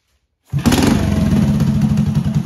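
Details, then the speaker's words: 1983 Honda ATC 110 barn-find three-wheeler after carb cleaning and adjustment: catches quickly, then settles into an even, steady thumping idle with no misses and no smoke. Normal idle. "it's running like a top now is there in idles this is good"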